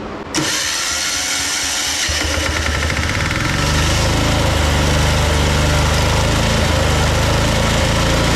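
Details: Old military Yanmar diesel portable air compressor after a fuel-system overhaul to clear tar and new exhaust nuts: it catches after a short crank and settles into a steady, even chug with a building compressor hum as it makes air. It is running healthy.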